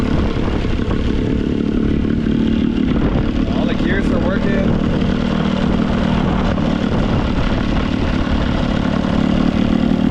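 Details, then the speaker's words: $5 Johnson/Evinrude two-stroke outboard after raising idle screw: even, steady buzz with no misses, good water stream, running smoothly; spark plugs noted as fouled. "For literally only paying five bucks, dude, you can't beat that deal. This thing actually pees pretty decent. Water. Runs pretty good."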